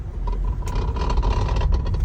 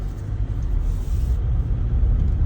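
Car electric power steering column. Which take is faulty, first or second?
first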